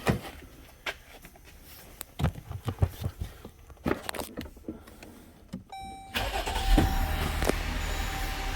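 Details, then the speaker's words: 2018 Jeep Grand Cherokee 3.6 after replacing faulty water pump (whirring underhood complaint, stop-leak found in cooling system); few clicks, clean crank and catch into smooth steady idle, no whirr from front of engine; normal. "Oh, nice and quiet. That's what I like to hear. Nothing. Other than just the engine running."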